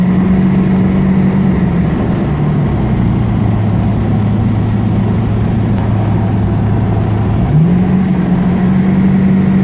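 A steady whine holds, drops lower for several seconds, then climbs back up over the engine rumble; the source cannot be pinned down.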